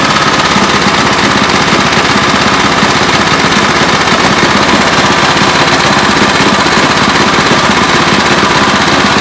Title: Murray engine knock